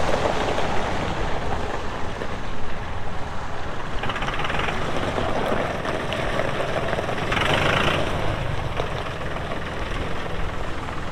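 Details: 2018 Massey Ferguson 2605H 4WD compact tractor, 310 hours, 911X front loader: steady low diesel rumble, load rising and easing as hydraulics work, even firing, no knocks; normal healthy running.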